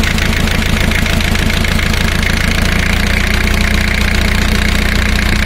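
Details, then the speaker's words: Diesel engine at idle during cylinder power balance test, before disconnecting injector high-pressure lines: chugging idle, lumpy at first, then settling into a steadier, even beat; normal idle. "now the engine is started it's running at first idle"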